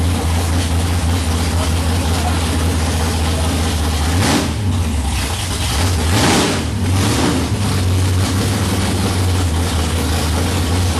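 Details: '55 Chevy hot rod, 454 big-block, 14.5:1 compression, iron heads, 5500 stall, first fired after sitting 25 years, idle and timing not yet set: deep loping low rumble, even with an occasional slight surge; lumpy but healthy.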